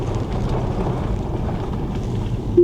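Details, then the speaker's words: 2013 Tesla P85 after repair, driving about 12 mph on a rough road: low even road rumble, no rattles (previously constant rattle), brief brake squeal from sitting. "it's not rattling anymore it always rattle even the slightest of bumps and we're hitting some pretty good ones"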